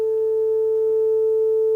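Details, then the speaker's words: Telefunken Operette 6 radio with added Bluetooth, 400 Hz test tone on left channel: after shorting two board pins the tone plays pure and steady with no buzz or rasp; distortion gone. "and if I now short these two pins here see Distortion is gone"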